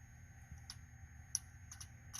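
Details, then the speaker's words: Truck that ran out of gas, fuel injectors energized with a 9-volt battery, ignition on: several small crisp clicks as each injector opens, but no fuel sprays out; clicking alone doesn't prove they're good. "hear them clicking i thought i might be able to spray a little fuel because i've got the uh ignition on but has not to be so uh doesn't mean they're good but they do click"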